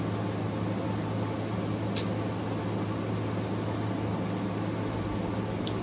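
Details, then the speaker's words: New GE 10,000 BTU window air conditioner (model AWFS10WWL), first start-up after install, blowing cool air: only a soft, even fan rush with a faint low hum, no compressor clatter or rattle; quiet, healthy operation. "All right, should we fire this puppy up? Oh, that freaked me out. Oh, it's just my roto. It's fine. That's blowing cool air."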